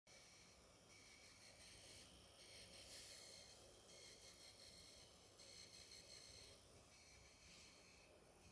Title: Corsair RM1000i weird noise (coil whine maybe?)